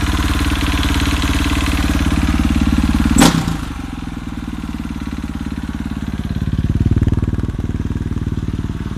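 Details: KTM RFS single-cylinder engine at idle with a steady tap about four times a second over the exhaust; a knocking whose cause is not identified.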